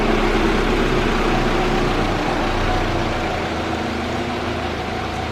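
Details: Mitsubishi L200 diesel pickup idling just after turbo rebuild and install, first start after preheat: steady even idle with constant low drone, no misses, knocks or turbo whistle; healthy.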